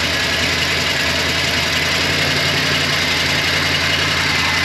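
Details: GM engine with aluminum head, after a broken intake manifold stud was extracted by welding on a nut and the fuel lines reconnected. It had been missing a little while priming. Now a steady, even idle with busy mechanical clatter, no heavy knock: normal.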